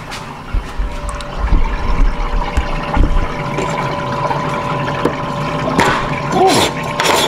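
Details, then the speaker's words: Corvette Z06 with high intake and manifold air temperatures, coolant system being filled and bled with pump running: continuous gurgling rush and faint steady pump hum, no sputter, no leaks at either end; coolant circulating smoothly. "all right make sure we got flow and no leaks hear it pushing through it's kind to fill up no leak on this end no leaks on this end but you can hear it filling up"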